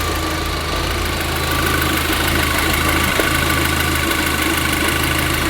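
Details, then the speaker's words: VW Golf GTI idling: a steady airy hiss over an uneven, lumpy idle that never settles. A vacuum leak, traced to a cracked vacuum pipe. "Oh my god, I can literally hear air. Is it the intake? Listen, you can see how lumpy it's running. I can hear air escaping. The engine was definitely still running lumpy, and I was almost certain that I could hear air escaping from one of these vacuum lines."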